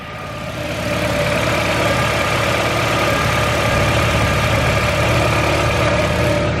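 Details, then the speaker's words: Turbocharged Honda CR-V at first start after a boost leak fix and exhaust work: smooth, very quiet, even idle with a soft hum and no ticking, puffing or whistling; normal idle. "You can't even hear this thing. It's so quiet"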